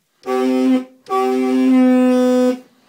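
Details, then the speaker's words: 2003 Honda Element compact SUV, all-wheel drive, original horn dead: two short honks with a thin, reedy, goose-like tone lacking punch; weak, failing horn, to be replaced with a FIAMM Freeway Blaster low-tone horn. "the horn is dead and so what it sounds like kind of sounds like a goose let's hear one more time"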